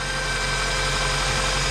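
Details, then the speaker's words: 2000 Toyota Corolla just after rod bearing replacement and fresh oil, cold start: steady, even engine hum with no knock standing out, back to normal; owner thinks a faint cold knock may remain until warm. "he's going to fire her up and we'll see no knock huh back to normal sounds great huh a job well done"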